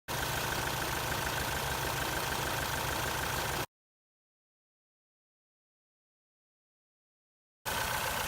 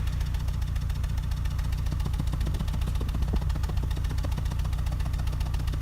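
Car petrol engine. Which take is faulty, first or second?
first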